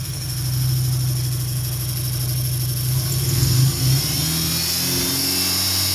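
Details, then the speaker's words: 2003 Dodge Neon 2.0 with SRT exhaust, rough after a broken timing belt, new belt and rebuilt head: uneven, stumbling idle that smooths slightly with gas but stays rough. No codes, 190 psi on all cylinders, new plugs, no vacuum leak. Misfire, cause not yet found. "Seems to smoothen out when you give it some gas, but it's still running rough. No check engine light, no codes whatsoever."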